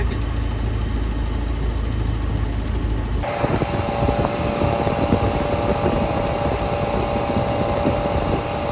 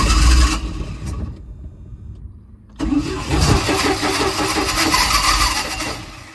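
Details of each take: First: 1987 Bayliner Capri, fuel-injected MerCruiser 3.0 with Holley Super Sniper 2300 EFI, warm after a lake run: short crank, catches and settles straight into an even, steady low-rumble idle; starts fine warm. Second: 1987 Bayliner Capri boat engine on a newly fitted Holley Super Sniper 2300 EFI throttle body replacing a carburetor that would not idle. Long labored cranking, then rough uneven firing that never settles; the wrong Super Sniper unit was chosen in the setup wizard.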